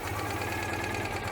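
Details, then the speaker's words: 1986 Citroën 2CV air-cooled twin at idle during a service: a faint hiss and slightly uneven note. Spraying at the carburettor manifold gasket changes the engine note, confirming an air leak there. "i've definitely got an air leak on the carburetor yeah carburetor it's a manifold gasket that's where i'm squirting that you can hear the engine changing"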